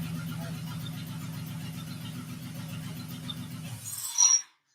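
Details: Honda J-swapped Porsche 914 on first startup: a quick, regular mechanical clacking while running until shutoff; heard on the passenger side, owner wonders about a loose bolt, source unclear, compression test planned.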